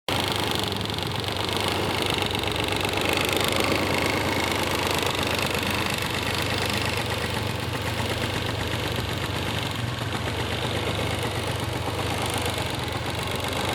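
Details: Honda Dio AF18 two-stroke scooter taken in as a running engine, now running: uneven, loose knocking rattle over the exhaust buzz; abnormal noise from the engine, maybe also the drivetrain, cause not yet found.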